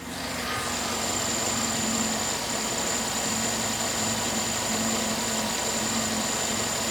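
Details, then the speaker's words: Cadillac Escalade at idle after new belts and tensioner fitted, belt squeak gone: thin constant high whistle that starts on start-up then fades; owner suspects an idler or power steering pump, unconfirmed; high-pitched whine at idle. "there's a little noise I I think it's the UL here it's kind of a little like noise that I kind of hear it start up and then it goes away"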